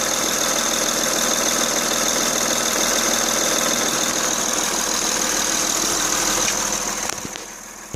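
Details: Honda Ridgeline 3.5 L V6 idling with steady even knock about four times a second over bright hissy sound; persists with each coil pack disconnected and with fan belt off, ruling out front accessories; cause unknown.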